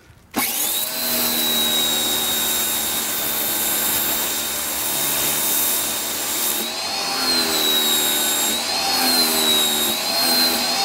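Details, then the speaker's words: Ryobi 1600 PSI 1.2 GPM electric pressure washer, third use, turbo nozzle fitted; steady high motor whine wavering and surging as pump loses prime; struggling to produce pressure. "You heard that, right? I mean, I wasn't doing anything different. It was having a problem producing the pressure."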